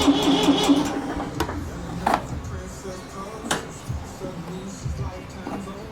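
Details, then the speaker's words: Massey Ferguson MF230 vintage tractor, revival start: long uneven cranking with weak catches before firing, oil pressure present; hard starting, needed brake parts cleaner sprayed into the air filter to run. "I had to spray a little brake parts cleaner into the air filter just to get it going, but it's going."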